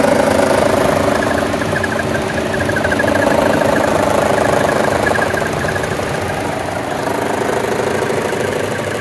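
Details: 2014 Chevy Cruze 1.4T, 71k miles, idling with AC on: steady hum with uneven shaking pulse about four beats a second; vacuum diaphragm and check valve intact, no DTCs; cause unknown.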